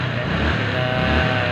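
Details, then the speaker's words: Rusi Gala reaper engine, long stored, last run a week ago, kick-primed to oil internals then key-started in about two clicks; test run. Smooth steady note, no knocks or misses; normal running. "Ayan. Dalawang padyak, umandar naman siya. Kaya testing natin kung pwede na ba yan."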